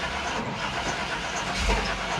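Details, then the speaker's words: 2000 Chevy Tahoe LT 5.7L: steady starter cranking with an uneven compression rhythm and no catch. It cranks but won't start because the distributor is out of time from shaved gears, so there is no correct ignition timing. "but the cranking uh compressions as you saw there they were uneven at moments and that's two and that's pretty much uh due to the fact that the distributor is not in time"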